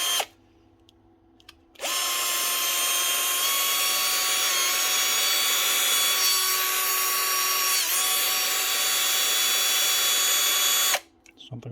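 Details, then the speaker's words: Bosch GSB 18-2-Li 18 V DC-motor cordless drill; high steady whine for about nine seconds then stops, motor hot and smelling of burning: burnt-out motor needing replacement. "with that mot yeah oh God yeah she's stinking stinky burning up motor's burnt out not starting to smell right there only we motor replacement yeah she's hot"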